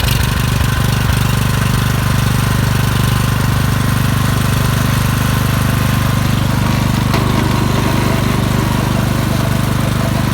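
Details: Suzuki SV2300H generator that would not start, after spark plug cleaning: steady even low engine thrum at constant speed with no misses or knocks; running smoothly.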